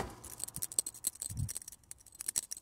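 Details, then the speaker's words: 2007 Honda CR-V with compressor clutch not engaging (A/C not running, 120 psi); the under-bonnet A/C relay, shaken, gives a small, light, irregular clicking rattle of loose pieces inside: failed relay. "sure if you can hear that, but rattling away. So that's failed."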